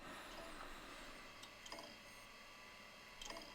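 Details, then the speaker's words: 1990s Pentium MMX 166 MHz PC, 64 MB RAM, running Windows 95 on a Quantum Bigfoot hard drive: quiet whirr broken by irregular clicks and scratchy seek bursts every second or two. Drive sounds unhealthy; fault suspected, not confirmed. "this one is running Windows 95 but it seems to have some issues with the hard drive so let's take a listen"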